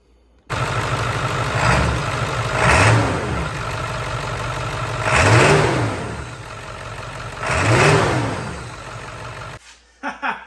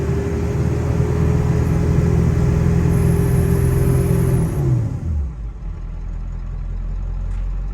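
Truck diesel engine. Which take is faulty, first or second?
second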